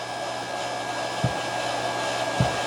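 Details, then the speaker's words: GE dishwasher during inlet valve and thermistor circuit testing: the circulation pump starts with no water in it, giving an even motor hum, a thin steady high whine and two light clicks; normal pump running dry. "so now the circulation pump you hear is started but of course there's no water in it right"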